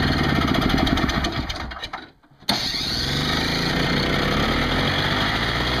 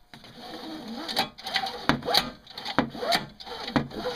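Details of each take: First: Craftsman 5hp 21-inch two-stroke snowblower after carburetor cleaning for fuel leaks and a new smaller inline fuel filter, primed on full choke with 20:1 mix, unstarted for a while: catches, briefly dies, then runs evenly and healthy, a little smoky. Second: Craftsman 5hp 21" two-stroke snowblower recoil starter grabbing: slow rasping rope pulls about once a second with scratchy catches and uneven drag; owner suspects the worn pull starter, still stiff from long storage, binds; it still works.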